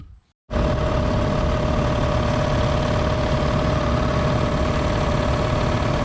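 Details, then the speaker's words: 60-gallon Black Diamond compressor with hammering factory pump replaced by Harbor Freight pump, 30-weight oil added: after brief silence starts and pumps steadily with even drone and constant mid tone; healthy. "i don't know what it's going to do after it gets a bunch of pressure build up that thing is a lot quieter than the old one"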